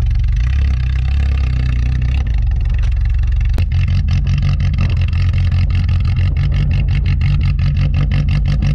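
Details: "Rescue" Tercel wagon (1983) just after a cold start at about -6°F after sitting a couple of weeks; a rough low rumble settles into a steady, slightly chugging idle; normal cold start and idle.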